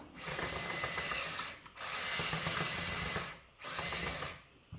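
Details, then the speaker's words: Kabolite K963 track assembly reinstalled after the motor had started screeching loudly: short bursts of light, even gear whirring with pauses, no screech or grinding; track drive now much quieter and normal. "It's much quieter."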